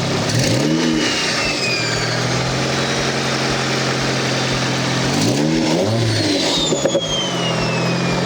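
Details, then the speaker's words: Nissan 240SX after GTX2860 turbo upgrade (850cc injectors, FMIC, 340lph pump, Z32 MAF): crisp revs climbing and dropping cleanly with faint turbo whistle, idle on point, slight exhaust leak noted; normal revving, healthy. "that sounds really really really good might do a light test drive but just around the block to see how it feels"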